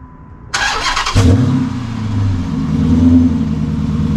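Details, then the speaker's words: 2006 Dodge Magnum after swapping the suitcase muffler for two pass-through Magnaflows, full exhaust hooked up with rear mufflers: cranks, catches and settles to a low, mellow, smooth idle with a soft exhaust note; very quiet. "oh my god it's absolutely quiet it's like i did nothing"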